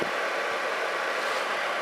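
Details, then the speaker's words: Atwood 7912-II 12,000 BTU 12 V RV propane heater, after a burnt relay solder joint on the circuit board was re-soldered: the blower runs with a steady, even airy whoosh after the burner shuts off, a normal post-purge run before cycling off. "now the fan will run for a minute or two and it'll cycle off again"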